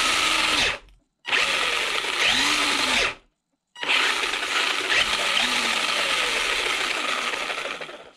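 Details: Maverick Phantom XT 1/10 RC stadium truck, on the bench after motor refitted and gear mesh reset to cure a rubbing noise from sand and debris: high even whir in short bursts, clean stops, no scraping. Normal motor and gear run.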